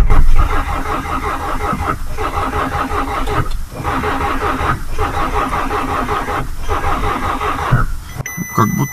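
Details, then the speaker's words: VW Passat being cranked from its own weak battery in freezing weather after preheating: slow, labouring starter churn with uneven beats that never catches; starting current too weak. "заводим со своего аккумулятора сначала утра насколько он не живой [музыка] нифига не живой живой но не совсем"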